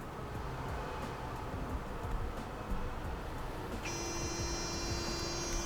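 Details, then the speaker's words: Autonomous reefer unit on a DAF LF 210 truck, switched on from the cab panel: a steady low hum, then a clear steady electronic tone during the normal power-on self-diagnostic before the diesel starts; nothing to worry about. "Мы слышим вот такой звук, его пугаться не надо. И сейчас будет запуск."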